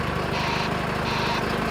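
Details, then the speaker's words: Brigade bbs-tek white-sound reversing alarm on a highway maintenance lorry reversing out of its garage, heard from behind and as it passes: short hissing bursts about every 0.7 seconds over diesel rumble, confined to the back; broadband alarm working normally. "As the lorry passes by, it becomes clear that the white sound is confined to the back. Anyone other than those in the immediate danger zone won't be disturbed by the alarm."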